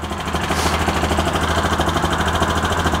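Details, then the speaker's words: Bennche 500 (Hisun) UTV after clutch work, in neutral, foot on brake, clutches sitting still: steady even idle with soft regular pulse about three beats a second, no knocks or rattles; normal idle. "we'll let the oil run through this thing so you can see the clutches are sitting still that's exactly what we want"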